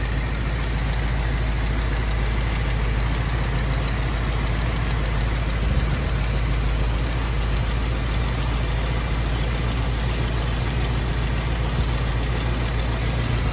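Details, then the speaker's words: 1974 AMC Javelin V8 during restoration, idling while burning off spilled oil: a fast, light, even tick over the rumble. Possibly an exhaust leak; something also appeared to be seeping from the head. "sounds like I got a little tick but it sounds like maybe an exhaust leak"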